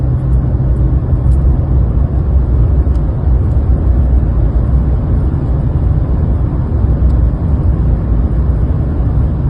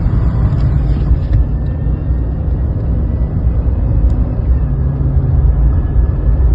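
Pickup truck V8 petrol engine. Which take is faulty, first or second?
second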